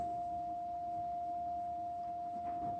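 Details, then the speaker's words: Fender Sidekick 35 bass amp after repair (new power transformer, output and driver transistors, cleaned pots), tested with a clean steady tone near 700 Hz. No hum, crackle or dropouts, and the bass/mid/treble controls all work. Normal output. "but if we bring the frequency down a little farther now the bass has a much larger influence on the cut and boost to that frequency so everything's working good"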